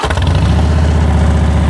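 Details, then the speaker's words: Salvage-auction wrecked 2013 Harley-Davidson Heritage Softail started with the push button in neutral; V-twin catches straight away and settles into deep, even loping beat, no knocks or misses. Nice-sounding exhaust, normal start and idle. "There it is. Oh, she sounds good. She sounds real good. Woo. It's a nice sounding exhaust right there, guys."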